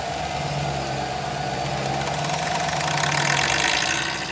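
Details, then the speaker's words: 2015 Chevy Tahoe police package vehicle, automatic, 76,480 miles and about 5,400 hours, with front passenger corner collision damage: it starts to a smooth, steady idle with no knocks or ticks and the transmission engages; the fan kicks in and rubs on something, and the engine shuts off after seconds. "Engine sounds good. And it's off. Transmission engages. Automatic transmission engages. And there goes the fan spinning. Engine starts. Sounds good."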